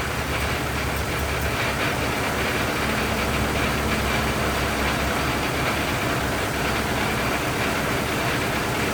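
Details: 1927 Ford TT truck, up on jacks, first run with new buzz coils, throttle up a bit; steady, even chug at constant speed with no knocks or misses; runs really nice, no complaints, normal running.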